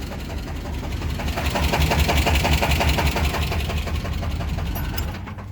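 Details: 350 V8 idling after cooling down, light steady knock about three times a second, almost lifter-like; rod bearing knock with the #1 rod bearing completely gone.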